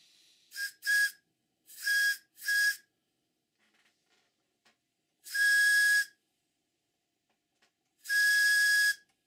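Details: Stuart 504 model boiler plant, first steam test: six clean, shrill whistle blasts, four short then two longer, each a steady high note. The whistle works normally with very little pressure showing on the gauge.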